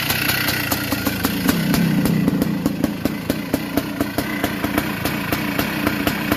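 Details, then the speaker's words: 1982 Yamaha YZ490 big-bore two-stroke, started after fuel was put down the head and awaiting an engine freshen-up: rough idle with sharp metallic ticks four to five per second; rattly motor, which owner says is typical of these. "Sounds like it's a bit rattly."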